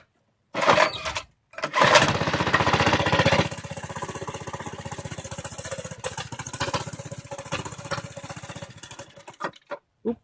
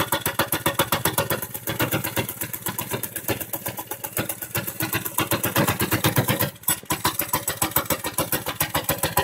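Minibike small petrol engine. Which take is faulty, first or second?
first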